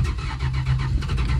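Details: 1974 Dodge Dart Sport slant six, off the road 17+ years, on a dying battery: slow labouring crank with heavy uneven chugs dragging against compression, like timing advanced far too much.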